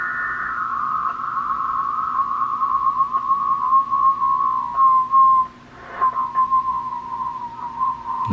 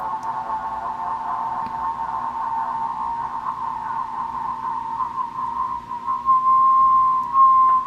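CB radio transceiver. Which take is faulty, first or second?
first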